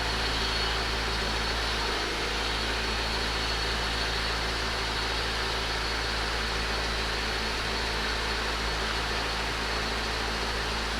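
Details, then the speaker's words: Honda GSR engine after Blox intake manifold install, very cold start, no codes, valve lash adjustment still due: steady even hum over constant airy hiss, no knocks, surges or stumbles; normal cold start idle. "Alright guys, so really cold start right there. Everything sounds good."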